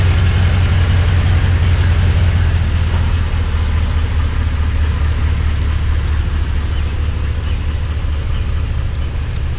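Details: Toyota Tundra V8 with new TRD dual exhaust, camera on the ground beneath the truck: deep, even low rumble with no ticks, misses or rattles; healthy.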